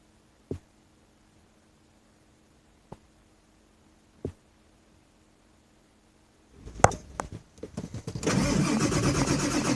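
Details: 2000 Ford F550 7.3 diesel, about 60°F, owner says it needs new injectors: a few clicks, then about 1.5 seconds of ragged cranking before stumbling into rough idle; hard start.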